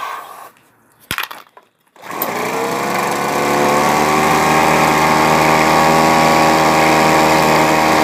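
A couple of pulls and knocks, then the little two-stroke catches and settles into a steady, high, buzzing run.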